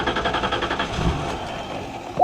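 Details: 1998 Ford Explorer, not running: starter cranks evenly with a brief ragged catch on starting spray, then dies.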